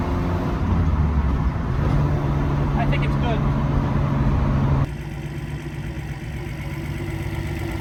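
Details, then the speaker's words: Car engine after rebuilding Solex Mikuni Type R carburetors and adding a return spring: pulls through revs and settles evenly, no stumble, hesitation or throttle hang, idles well; normal acceleration. "No stumbling, which is good. No throttle hang. Put another spring back on. It's not hanging anymore. Seems to idle really well. Sounds good."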